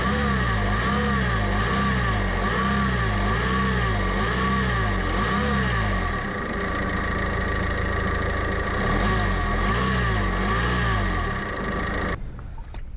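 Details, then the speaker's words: Vauxhall Vivaro diesel van at idle after attempted repair: steady high whine over the clatter persists, so the belt-drive bearing still needs replacing; the van also has a coolant leak. Cause suspected, not confirmed. "Unfortunately, this did not solve the the issue. Obviously, that bearing needs to be replaced."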